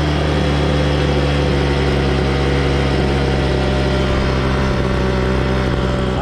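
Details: 26cc two-stroke gas engine, cold-started: a steady, even buzz with constant pitch and no misses or stumbles; running healthy, and the engine is pretty hot afterwards.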